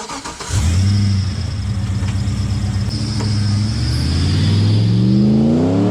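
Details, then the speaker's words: LS1 V8 in a Nissan Patrol, blipped and held high: thin steady squeal rides above the exhaust as revs climb; owner says it's a long-standing tensioner squeal, only at rpm, and plans new tensioners and belt. "you probably noticed that i've got a tensioner squeal i've always had that and i've got to order some new tensioners for it and a belt because the squeals off its head is only when it's in the rpm"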